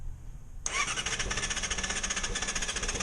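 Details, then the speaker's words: 2006+ Yamaha R6, cold below about 160–170°F, starts abruptly and idles with a quick, uneven pulse and stalls; owner suspects valve clearance (valves last adjusted at 25,000) and the removed catalytic converter. "Yeah, it's funky like that. I think it has something to do with the valve adjustment."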